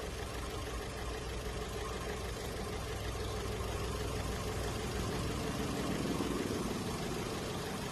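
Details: Holden Cruze petrol engine at idle: uneven stumbling beat instead of a smooth hum, a misfire; the coil spikes voltage but doesn't fire into the cylinder, so an internally failing ignition coil is suspected.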